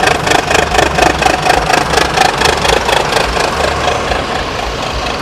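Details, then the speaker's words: Adhi Prima sleeper bus on the Palembang–Jakarta trip, rest stop with the engine hatch open, mic at the engine: steady diesel idle pulsing about twice a second with a slightly raspy, uneven note, attributed to the exhaust (knalpot); unusual exhaust note at idle. "Nah ini suaranya yang agak, nah ini gara-gara knalpotnya"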